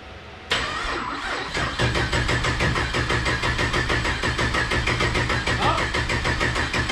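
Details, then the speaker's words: 1200 hp turbo Camaro (Cowmaro), first start after sitting a few months with fresh oil, oil level low: cranks, catches and settles into a lumpy, choppy idle that steadies after a moment; fired right up, a little tired at first, healthy start. "it uh sounded good old girl fired right up you know she's a little tired there at first but then came to life"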